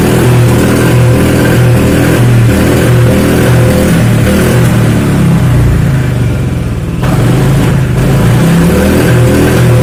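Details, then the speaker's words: Honda Vario 125 injection scooter, injection light blinking 8 times (TPS fault, tampered TPS sensor), revved: engine stumbles and hesitates unevenly with irregular exhaust backfire pops, misfire under throttle. "Wis, suaranya gak enak, berundung berebet, nembak."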